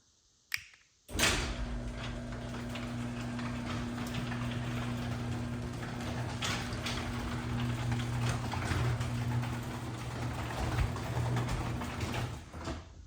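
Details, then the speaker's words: LiftMaster 8557 3/4 hp belt-drive opener on a 16x7 CHI 5283 door, motor warmed up after repeated runs: a clunk at start, then a smooth, even hum; the usual 3/4 hp whine has faded as the motor warmed. Normal motor run. "You'll notice on the 3/4 horsepower machines, they have a whine. The more you run them and the warmer the motor gets, the less you hear the whine. That's very common. Um so, you'll notice the whine kind of went away as we've been running it."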